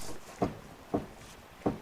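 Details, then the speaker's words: 402,000-mile 2003 Mercedes-Benz E55 AMG, driver side lower ball joint checked by rocking wheel by hand: three dull clunks about 0.6 s apart; worn lower ball joint with play, bad like the other side. "yeah again this is bad as well now how much do you guys think doing a couple lower ball joints would cost"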